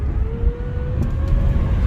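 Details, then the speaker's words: 2006+ Honda Civic 2.0L, driving: thin steady whine over road rumble, pitch rising with speed, persisting when slowing; AC on changes pitch. Suspected pulley, tensioner, idler, alternator or AC; found to be a dry AC compressor clutch bearing. "You can see that whining noise. When I slow down, the whine is still there. Just keep whining."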